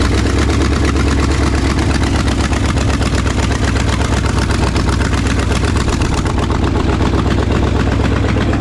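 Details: 1968 Ford F250 "Ole Red" with a newly installed freshened 360 FE V8: loud sharp clacking about four per second over a heavy idle. It was thought to be valve noise but is exhaust leaking at the unhooked headers.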